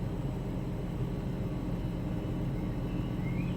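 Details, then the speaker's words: BMW X5 M62TUB44 V8 first start after timing chain and guide replacement, chains pre-oiled: quiet, steady low idle with no chain rattle or slap, surprisingly silent. "I did actually sort of put a lot of oil on the chains and everything before you before I closed it to make sure that it's lubricated but that is surprisingly silent"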